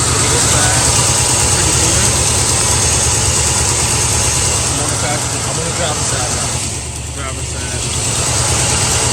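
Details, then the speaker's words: Carbureted Mustang V8 at idle: a slight tremble and jumpy rhythm with a cylinder dropping out now and then; a spark plug wire arcing to the header is grounding out that cylinder, causing the misfire and erratic idle. "if you guys look you can see that faint spark well it's actually arcing pretty bad I'll get closer in a second it's arcing on that header and what it's doing is each time it hits that cylinder it's trying to shut it off it's trying to ground it out hence the misfire or the erratic idle"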